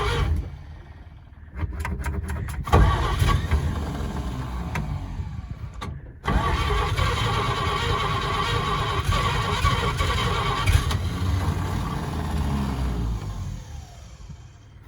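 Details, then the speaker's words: 1938 Chevy Master Deluxe six, cold September day in Alaska, on choke, with carburetor and starter borrowed from a 1942 G506: starter grinds a couple of tries, then engine catches and settles into steady, slightly lumpy idle; normal cold start. "just give it uh you know that cold weather choke action and she should fire it up"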